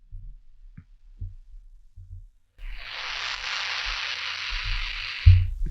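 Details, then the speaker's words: Microphone on a quiet line picks up a steady hissing buzz and a whine when brought near the computer; the noise is electromagnetic interference, not the connectors, and is cured by keeping the mic away from electronic devices. "я подношу микрофон компьютеру появляется новый звук то есть дело тут было совсем не в разъёмах а в том что микрофон нужно держать подальше от электронных устройств"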